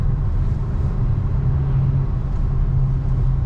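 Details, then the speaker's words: BMW X5 35d diesel after engine rebuild (head resurfaced, valves lapped, oil pump and head gasket replaced), driving: steady deep even drone; the earlier turbo-like squeal on hard acceleration, linked to a leaking manifold gasket, is gone. Normal running. "Mais c'est pas mal, il roule très bien ce petit X5."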